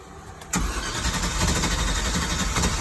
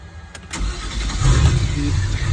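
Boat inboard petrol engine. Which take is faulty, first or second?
first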